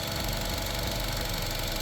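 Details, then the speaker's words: 2014 Buick Encore, direct injection, with engine sludge, before engine flush and oil, coil pack and spark plug change: light fast regular ticking over steady idle; owner calls it typical, valve tick suspected, not confirmed. "mean, that's a typical engine noise, I guess. But it's supposed to quiet the uh valves cuz it's a direct injection."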